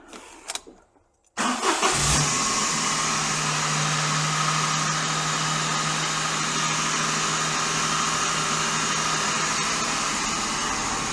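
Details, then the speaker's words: Daihatsu Sirion that has made horrible noises since bought: once the engine fires, a harsh steady whirring and rough hum ride over the idle, sounding like worn alternator and water pump bearings. "I don't think those engines make particularly nice noises at any point but that does not sound healthy"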